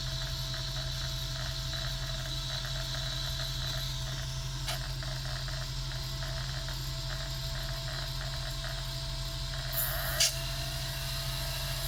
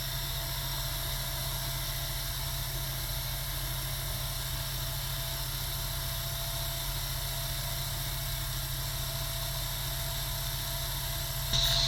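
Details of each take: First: Sega Dreamcast GD-ROM drive with slow loading and read failures, suspected failing capacitors: quiet hum with constant light ticking as laser seeks repeatedly without reading, console showing "please insert a game disc". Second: Sega Dreamcast GD-ROM drive with failing capacitors, after reopening and closing the tray: steady even spinning whir that lifts a step louder as the drive settles in; now reading the disc normally, sound varies by game.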